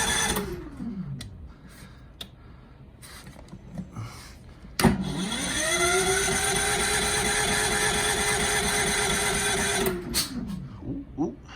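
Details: Furman 3300 watt electric-start generator, gas on, choke on, during high-wind storm: motor spins up with steady rising whir for several seconds then winds down without catching; cranks but won't fire.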